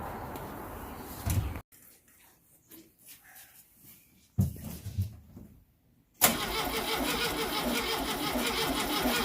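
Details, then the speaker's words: Volkswagen Baja Bug engine on a test start to check timing: cranks, stumbles, then catches into a loud, uneven, lumpy idle that sounds wrong. Plug wires were in the wrong firing order; after swapping leads at the distributor it ran better but not perfect. "hopefully it starts to open that don't sound right does it go again i don't think so no that sounds a little fishy"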